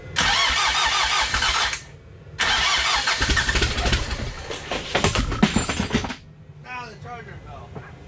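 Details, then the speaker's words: Dodge Raider/Montero with rebuilt 4D55T diesel (low compression before rebuild), just refitted and fuel bled: cranks briefly, pauses, catches into steady diesel clatter; runs well, though injectors and a cracked injector line leak. "well it's actually running runs pretty good apart from a few i mean actually all these injectors leak a little bit so i'm gonna have to take this apart to tighten them up"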